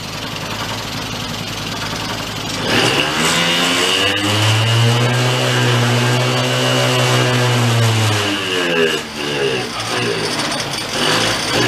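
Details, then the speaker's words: 2004 Yamaha Vino 50cc two-stroke scooter revived after years in a barn, revved to clear suspected oil buildup: revs climb to a high buzz, then sag and fade as it stalls under throttle. The owner is unsure whether it is starving for fuel. "yeah it's dying something's going on with it"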